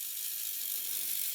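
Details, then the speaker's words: 3D printer pen feeding green filament, with feed increased while running: high, thin whirring with rapid ratchety clicking; the feed motor is labouring to push the filament. "Can I pick the feed up? Yep, so while it's going, I can increase the feed. But it seems to struggle, like it's having trouble pushing this green filament"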